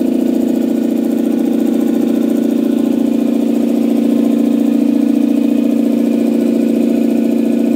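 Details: Campbell Hausfeld 2-cylinder air compressor on its test run after a head gasket replacement (new gasket with a dimple drilled for the divot). It had only pumped to about 5 PSI. Steady fast pumping about 3.5 strokes per second, no leak hiss: fixed and running healthy.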